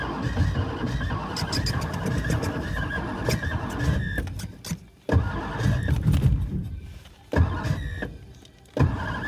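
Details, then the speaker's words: 1963 Studebaker Lark sat since 2010, after an earlier backfire and brief run, given more gas and starting fluid: several long cranking bursts, never fires; crank no start, owner suspects the fuel needle isn't freed and it isn't accepting fuel. "Come on. She don't like it. Jeez. What happened? Why don't you like running no more?"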